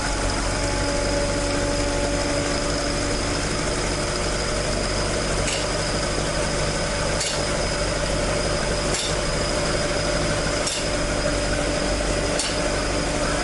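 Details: Toyota AE86 with 4AG four-cylinder after exhaust leak repair, stock exhaust sound: even steady idle, clean exhaust note, no leak puffing or ticking; engine healthy.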